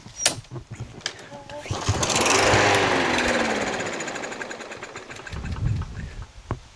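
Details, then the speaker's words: Yard Machines MTD push mower, Briggs 550EX auto-choke, before carb cleaning and after mowing a whole lawn: pull-start cranks swell and fade without catching. Very little gas remains; a dirty carburetor is suspected. "Let's give it a pull and see. Won't start. Won't start. Won't start. It might be out of gas, actually, because I did use it for the whole lawn."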